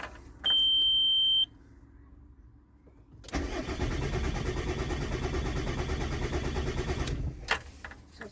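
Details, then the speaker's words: VW T4 diesel van broken down: starter spins engine with steady even compression pulses about four seconds but never catches; no fuel getting through, stop solenoid not clicking open with ignition on. "uh the van won't start it's my T4 uh Mrs just got in it and tried to start it and it doesn't sound like there's any fuel getting to it at all"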